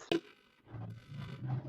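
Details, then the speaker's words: Yamaha FZ V2 motorcycle, battery not holding charge and check-engine light on after major repair work: pressing the self-start gives a sharp click, then only a weak low groan with no cranking; starter fails to crank. "একটি শব্দ করতেছে ক্যা করে কিন্তু start নিতেছে না biker দেখলেন যে সুইচটা অন করার পরে সেলফের বাটন যখন প্রেস করতেছি ক্যা করে শব্দ করতেছে বাইকটা স্টার্ট নিতেছে না"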